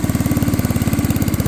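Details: Unknown-year, unknown-brand childhood riding mower/ATV with many miles, jump-pack started on a damp morning while driven to the garage: low chugging beat, about fifteen pulses a second, uneven strength beat to beat; barely runs, rough running, cause unknown.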